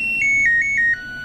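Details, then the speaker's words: LG Smart Inverter washing machine with no display and no start, control module previously tampered with, on power-on after replugging; choppy broken buzzer tones stepping down in pitch instead of a clean chime, lock LED lit, fault persists. "Nah, untuk kali ini setelah saya cabut colokannya itu bisa teman-teman dengarkan ada kejanggalan ini enggak normal. Nah, ada kejanggalan, Teman-teman."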